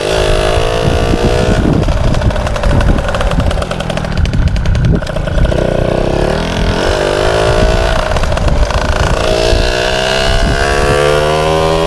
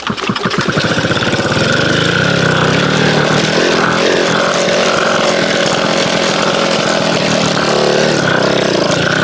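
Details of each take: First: MBK 51 two-stroke moped: steady buzz that picks up cleanly as the throttle opens and closes; runs and revs normally. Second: MBK 51 two-stroke moped, first start after refitting throttle cable and fuel line: catches after a few kicks, revs unsteadily and won't settle to a clean idle; owner suspects mixture slightly too lean and plans to open the richness screw.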